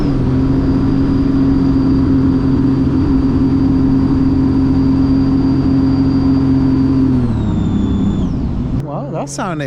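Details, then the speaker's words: 2017 Sea-Doo RXT-X Rotax jetski after wiring and fuse-centre diagnosis: strong, even engine drone holds a steady pitch, then eases down smoothly off throttle; sounds nice and clean. "pretty good it sounds nice and clean"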